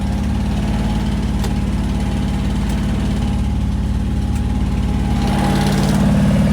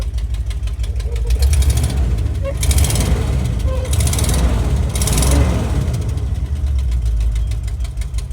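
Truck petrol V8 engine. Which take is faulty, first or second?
second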